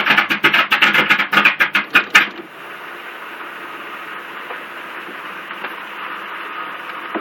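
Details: LT1 engine: quick, even cranking beats for two seconds, then it stops without firing; it turns over fine but won't catch; crank no start, cause unclear.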